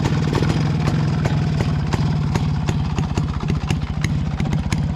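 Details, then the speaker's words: Restored Rajdoot two-stroke motorcycle, stock company silencer, unmodified exhaust, started after pumping the left-side kicker: crisp, evenly spaced pops at steady idle with no misses or rattles; normal healthy idle. "ഇതെങ്ങനെയാണ് ഇതിൻ്റെ ഒരു sound? Stock സൗണ്ടാണ്, company സൈലൻസറാണ്."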